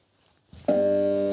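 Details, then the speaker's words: Small compressor hums steadily but will not start or turn: motor stalled, compressor probably seized with grease/oil rotted inside from never being lubricated properly. "i nie rusza buczy nie ruszanie To niezbyt dużo chyba zgniło smaru"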